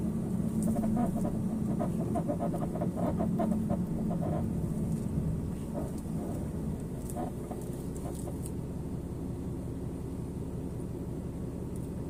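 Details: Porsche 987 Cayman while driving: repeated dry, squeaky creaks from the front right over low road rumble, strongest early and then easing. A recent suspension creak with the cause unknown.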